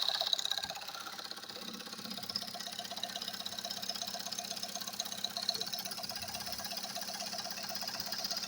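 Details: Recently repaired engine, quiet with no knocks when cold, now hot. Oil pressure high, check-engine light off. A light, steady ticking knock at about four per second that follows engine speed, heard at warm idle from the cabin; source unknown.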